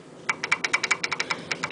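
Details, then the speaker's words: Royal Enfield UCE500 cam gears rocked by hand: light, uneven metallic ticking about eight clicks a second, backlash (loose mesh/pitch gap) between crank pinion, exhaust and inlet cam wheels; too loose clatters, over-tight hums. "the pitch now gear has got particular pitch uh the crank pinion exhaust wall camv and Inlet wall cam wheel has got Pitch the pitch means uh gap between two teeth now the sound what you are getting basically is called"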